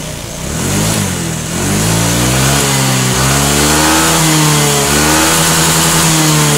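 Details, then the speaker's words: Motorcycle after adjusting the TPS throttle position sensor with engine running: revs rise and fall evenly with the throttle, no stutter or hesitation; smooth running, issue was only TPS adjustment. "nah ini aman ya berarti untuk motor ini permasalahannya adalah cuman di bagian sensor TPS ini yang tidak"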